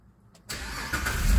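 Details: 2011 Jeep Liberty with intermittent hot no-crank, no codes, battery and starter ruled out: short crank catches quickly and settles into steady idle; fault traced to ignition switch contact.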